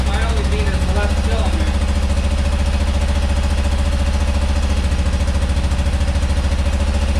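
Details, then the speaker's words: Rare carburetted twin motorcycle: lumpy thudding beat about 3.5 pulses a second, one side missing; running on left cylinder only, other carb bowl nearly dry, clogged old fuel filter suspected. "that's only the left cylinder let's pop this bowl off yeah there's like basically no fuel in here"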